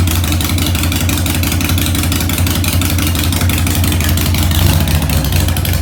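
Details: 2001 Harley-Davidson 1200cc V-twin, 19,866 miles, in neutral, needing some work, idling in the garage after starting: a lumpy but even idle with a steady low thump and a slight blip near the end; no knocks or misfires, normal.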